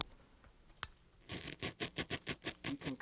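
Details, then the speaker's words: Pioneer SA-7500 amplifier, no signal, microphone held by the speakers: sharp scratchy static crackles as the volume knob turns, worst at the low-volume end; dirty volume potentiometer, to be cleaned. "of hear you can hear how staticky it is and of course i normally listen to it just at low volume so this bottom part is especially dirty"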